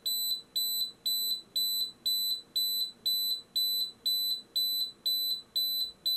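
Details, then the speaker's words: Xtool laser fire safety kit after second CO2 discharge: high shrill beep twice a second, regular and nonstop, continuing until fire is acknowledged as handled manually. "Donc le deuxième jet de CO2. Là du coup elle continue à biper hein, jusqu'à ce qu'on lui indique que l'incendie"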